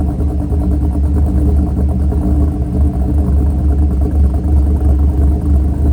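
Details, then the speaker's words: Mercury Grand Marquis 2V V8 with Todd Warren custom grind cams, after modifying AFE intake so IAC valve works: deep lumpy loping idle, slight rise and fall, holding regulated idle. "But we'll start it up real quick and let it idle, and we'll see how the cams sound."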